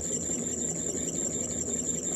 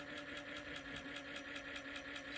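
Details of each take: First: Ford Model A generator spun on the bench as a motor: thin steady squeal over low roar from dry or worn rear bearing with no oiling point; needs disassembly. Generator bearing squeal. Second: Ford Model A 6-volt generator bench-tested as a motor, oiled, with light drag applied: steady hum with even brush ticking, no stalling under load. Normal generator running under load.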